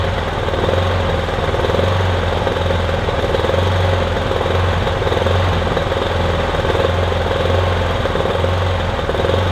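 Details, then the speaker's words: Kipor Sinemaster IG2600 digital inverter generator, just over 2 kW, stored in a garage for years, running on choke after spray was put in; rough, uneven lumpy beat with a wavering low drone; owner hopes it smooths out as it warms. "It's not exactly smooth, is it? But it's running at least. might smooth out as it runs."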